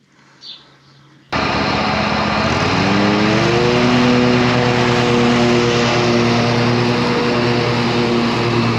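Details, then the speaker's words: Old John Deere L120 lawn tractor, 48-inch deck, mowing after replacing a blown deck belt: steady engine drone at an even pitch under load, no slap, squeal or flutter from the deck drive; new belt running smooth, even cut. "the new belt is running smooth and it's a nicer even cut I'm satisfied with these results"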